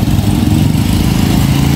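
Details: Honda XRM 125 two days after an engine overhaul: fast, rough idle with a rapid tapping knock riding on the low engine beat inside the rebuilt engine.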